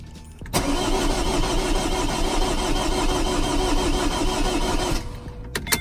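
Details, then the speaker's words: Vauxhall Corsa D 1.3 diesel after ECU repair and all fuel lines replaced, no fault codes or spanner light; starter churns steadily about four seconds, roughly three turns per second, never fires; air in fuel rail. "Doesn't want to start. Strange again, so no faults in the engine."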